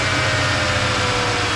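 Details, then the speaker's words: High idle around 1,000 rpm on live data, idle position count wanting zero: steady engine drone that never settles down; linkage being checked for hang-up, throttle plates suspected. "okay we're running around a thousand the idle position is count it wants it into zero"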